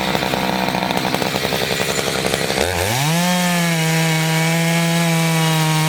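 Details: Chainsaw of roughly 50–60cc (owner unsure, maybe 58), 3/8 pitch chain on a 24-inch bar, on its second tank and barely broken in, cutting old wood: a choppy, bogging note while buried in the cut, then a clean climb to a steady high scream when it frees, normal under load.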